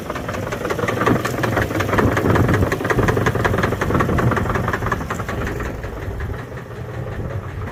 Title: 350hp rod knock